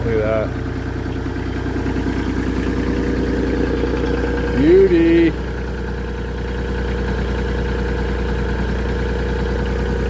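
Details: Mini skid steer (V1000) diesel just restarted after repair with a new ignition switch, preheat used; steady even idle with constant low hum, no knocks, misses or hunting; running healthy.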